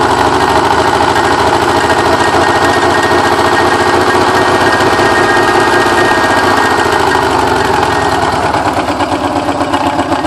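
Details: Porsche 944 started after ten years sitting; timing belt tensioner pulley fell off in 2005, bending all exhaust valves: ragged, stumbling idle with uneven chuffing and coughing misfire, sounding terrible, from bent exhaust valves.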